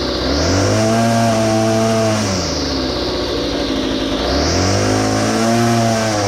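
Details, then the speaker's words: Well-used small two-stroke engine: revs climb, hold briefly, then sag and drop before rising again, bogging on throttle instead of holding high speed; carburetor low and high mixture screws to be adjusted. "what i want to show you is you'll hear the throttle response it'll start to climb and it'll bog and we're going to make an adjustment here and see if we can fix [Music] that"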